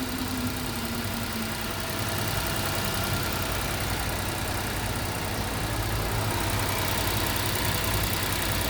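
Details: Ford EcoSport petrol engine idling after the repaired starter was refitted, following a no-crank that a new battery didn't fix; a steady idle with no knocks or stumbles, just a busy even hum. It sounds healthy.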